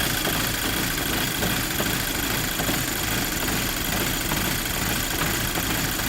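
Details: VW Golf GTI Mk5 cold start: engine idles with an uneven, lumpy beat that never settles; rough cold idle, cause unknown.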